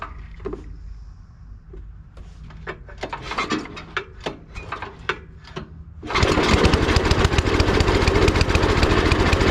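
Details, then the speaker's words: 39-year-old Gilson snowblower with Tecumseh engine, left with gas in the tank, after no-start fix: preparation clicks, then the single-cylinder engine fires at once and settles into a steady, even run; normal start. "and that's how your snowblower should start any snowblower whether it's a Tumi engine on it the bridgs and Stratton one or two pools it should fire right up"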